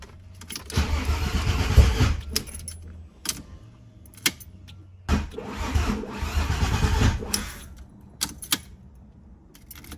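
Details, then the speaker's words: Freshly built VW VR6 engine after fuel filter O-ring replacement, being cranked: two bursts of steady starter churning about two seconds each, never fires; cranks but no start, sensor reading uncertain, oil leak found afterward. "I don't know if the sensor's reading or not. All right, so that's obviously not working, but we got another issue."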